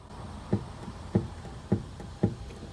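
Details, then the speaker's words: Suzuki Alto with clunking over bumps and manholes, on a lift: four sharp dull knocks about every 0.6 seconds as the tie rod is rocked, from play in the left rack-side inner tie rod ball joint; tie rod end has no play; steering rack replaced with rebuilt unit. "原因はここのラックとですねタイロッドのボールジョイントまぁパイロットですねタイロッドが悪いと言ったところですね"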